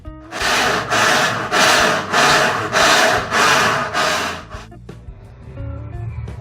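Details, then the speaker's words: Cônsul Maré top-loading washing machine, harsh rhythmic scraping, about seven strokes near 100 a minute, from a broken brake actuator. "marca está fazendo barulho insuportável quer dizer vou mostrar um dos defeitos"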